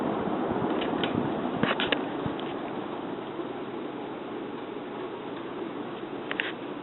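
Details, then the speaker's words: 52-inch Sears (Emerson) Turn of the Century three-speed ceiling fan on its slow medium speed: soft even airy hum, no grinding; bearings seem good. "it's pretty powerful fan switch housing rattles a little bit between the flywheel i don't know if you can hear that or not but bearings seem pretty good"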